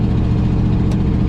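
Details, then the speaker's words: 1955 Buick Roadmaster, original nailhead V8, Dynaflow automatic, first drive after sitting 20+ years, cruising: loud raspy low rumble, louder than a sealed system; exhaust leak. "We're out of the neighborhood, folks. That exhaust leak's terrible."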